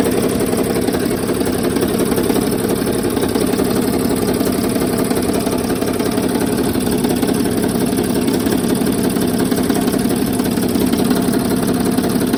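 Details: 2007 Sprinter OM642 diesel, used poorly maintained replacement engine, idling with accessory belt removed: loose uneven tapping near three per second over clatter, pronounced on left side cylinders 4–5; source undetermined.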